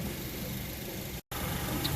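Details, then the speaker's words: 2011 Honda CR-V four-cylinder after serpentine belt replacement (AutoZone 687K7 belt), the belt having caused the noise: quiet, even idle with soft steady hum, no squeal or chirp; normal idle. "it was the belt that was making a noise. Changed it out. Quiet as a mouse."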